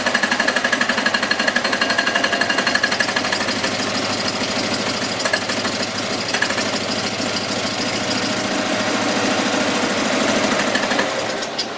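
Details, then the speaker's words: Invacar engine first start after 14 years abandoned in a field, other engines running nearby: ragged, uneven chuffing around four beats a second, stumbling and surging, one cylinder firing; owner suspects fuel not getting through, running only on poured-in fuel. "She does actually run. I don't think fuel's getting through, it's only running on the fuel I put in the car."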